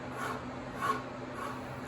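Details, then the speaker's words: Twin Disc CF 10033 torque converter from a Plymouth MDT 30 locomotive being torn down: turning the stator's double ball roller bearing by hand gives a faint gritty rasp swelling about twice a second. The bearing is worn out and will be replaced. "the bearing is done we'll be pulling that out"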